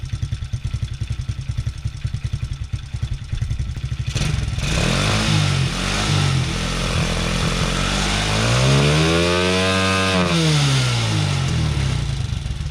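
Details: TaoTao Coolster 110cc youth ATV, previously bogging and backfiring, after the fix including a kinked fuel line: a quick even idle putter, then clean, strong revs without misses, pops or bogging.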